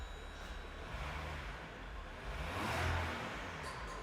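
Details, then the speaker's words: Diesel engine with a turbocharger, 174,000 km, revved in the workshop before the turbo was removed. A thin, airy whistle rises over the rumble as the revs climb. "При перегазовке турбина подсвистывает."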